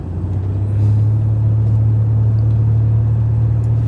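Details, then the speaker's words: Nissan Elgrand road test after rear brake repair (pads worn metal-on-metal): steady road and engine rumble, very quiet brakes with no grinding or squeal; rear shocks slightly squeaky. "That was good. Very quiet. No issues, no noises."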